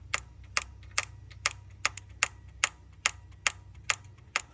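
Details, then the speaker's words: 2002 Lexus LS430 VVT oil control solenoid, engine off: crisp, evenly spaced clicks about twice a second; solenoid switches and sparks normally but makes no difference running, so owner suspects an internal fault despite verified timing. "So, it's clicking. The solenoid is doing what it's supposed to do."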